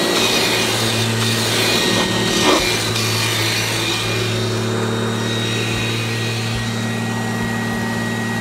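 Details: 1997 Kirby G5 upright vacuum, fitted with a metal fan in place of the original polymer fan: steady, even motor drone with constant fan hum, no surging or rattles; normal healthy running.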